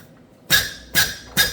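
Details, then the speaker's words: Hyster R80 forklift diesel injector on a pop tester near 3,000 PSI: three sharp crisp chirps with fine spray fog, correct chatter, though the injector is worn and drips at 3,000 PSI. "You hear that chirping? And you can see just that beautiful fog coming out of there. That's the way it's supposed to work."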